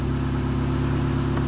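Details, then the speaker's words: Engine with the lambda (oxygen) sensor disconnected, slightly warm, started and idling: smooth, constant low hum with no misses, stumbles or rpm swings; idle speed normal. "vamos ligar e vamos o que acontece é o motor ligou e a rotação está normal em torno de mrp-ii"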